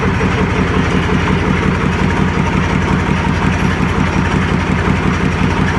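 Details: YaMZ-236 diesel on an improvised test stand at first start after a full overhaul: steady, even idle with a regular low firing thump and no knocks or misses; normal idle.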